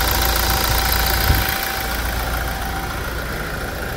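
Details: Toyota Hilux diesel at 350,000 km, after timing chain replacement during a service: an even, regular idle clatter of about 3.5 beats a second. It runs much smoother than before, a normal healthy idle.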